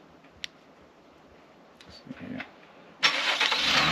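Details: 2022 Cadillac XT6 started right after installing an auto start-stop disabler: quiet clicks, a brief crank, then it fires at once and settles into a smooth, even idle; normal engine start.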